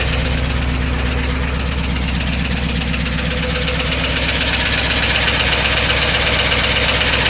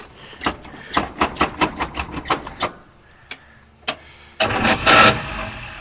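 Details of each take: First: 1953 Oldsmobile Rocket Super 88 barn-find V8, after new brakes, tires and exhaust, first start before warm-up with the generator not charging: steady, even idle with a regular low pulse, no misses or knocks; runs healthy. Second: 1953 Oldsmobile Rocket Super 88 barn find, first start after brakes, tires and new exhaust, fuel pump on, generator not charging: even chugging starter strokes without the engine catching, then quiet; extended cranking, no start, cause unclear.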